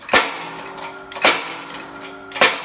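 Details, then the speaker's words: 2001-2002 Ford Escape front press-fit wheel bearing being pressed in under light pressure, with grease applied. Three sharp pops about a second apart, growing louder as the bearing seats straight. This is normal press-in noise. "Again, it's so far in, it's pressing in straight at this point. And hear louder and louder pops."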